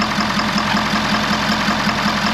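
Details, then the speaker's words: 2011 Ford F550 6.7 Powerstroke diesel at idle, also blowing return lines apart and a skip on cranking: sharp, evenly spaced knock about five times a second over the idle; mechanic believes an injector has failed. "we can hear a pretty [Applause] distinct sound I believe what that sound is is an injector has spiled"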